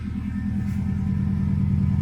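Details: 1997 Subaru GC8 with STI engine swap, warmed up after first start in a long time: steady even low rumble, regular pulse, no misses, knocks or hissing; no smoke or leaks; idling normally.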